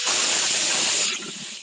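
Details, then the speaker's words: Drill in clutch (screw) mode, compared against Makita: fast, even clicking over a high motor hiss as the clutch slips, a clean and consistent ratchet. Normal clutch ratcheting. "Sorry, that's loud. That's the sound you want to hear on your clutch."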